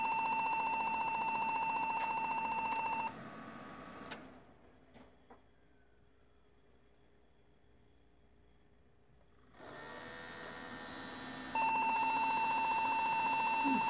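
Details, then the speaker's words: Desktop PC knocked over hard: at power-on, long, steady high-pitched beeps, a pause, then more beeping, and it won't boot. A RAM stick was likely dislodged; it was fixed by cleaning the memory. Finding: POST beep code, memory fault (loose RAM). "what i think is uh this memory uh you know when she knocked it over it's probably cross it to make that beep"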